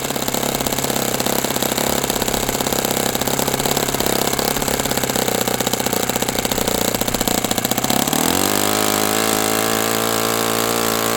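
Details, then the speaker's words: OS FS60 open-rocker glow four-stroke on a test stand, first run after years in storage, needle at one and a half turns; uneven stumbling firing, then a steadier drone. A loose rocker-arm nut may be throwing the valve adjustment out and leaving excess valve lash. "I just so happened to see as I was running that this rocker arm nut is looser than Which means now the valve adjustment might be out, which would explain why it isn't running well at all."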